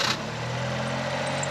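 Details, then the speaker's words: Honda Beat idling with a thin, steady high-pitched squeal over the engine hum, from a loose alternator belt slipping on its pulleys. Noise persists after a look at the belt; it was fixed by tightening the belt. "Well, I can't tell just by looking at it.Yes, and it's still making noise, so I decided to check it out more properly and access the engine room."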